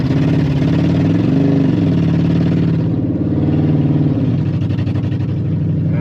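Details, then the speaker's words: Ex-police 2000 Ford Crown Victoria V8, stored for years, exhaust loud; on test drive, uneven stumbling beat under hard acceleration, a misfire. "we got a bit of a Miss in it I think we have a bad oil tank quizell it's a little bit rough on hard acceleration"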